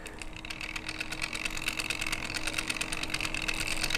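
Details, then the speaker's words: RC Power Wagon crawler with a new bigger spur and smaller pinion, run under a little load: fast dry gear chatter about three a second over a thin whine that rises with load; the spur looked worn, and a rough spur-pinion mesh is suspected. "Ugh. That spur gear also didn't look really good either. But you know, it's fine. It's fine. Jesus. Why is everything so noisy?"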